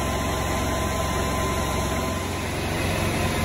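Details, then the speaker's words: Club Car golf cart with Kawasaki small engine and starter-generator, after battery replacement: steady single-cylinder drone at wide open throttle, pitch a little low; governed rpm seems low, governor needs adjusting (no tachometer used). "the rpms seem to be a little bit low so i'm going to show you how to adjust this"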